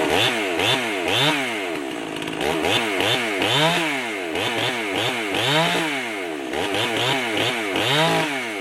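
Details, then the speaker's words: Rebuilt Stihl MS311 chainsaw with new piston and rings, mild porting, muffler mod, homemade carb gasket, cutting wood: crisp revs swing up and down cleanly as it bites and drops back, no misfire or bogging; healthy. "let's go uh put it in the wood and uh give it a couple of cuts and see if I need to make some final adjustments on it"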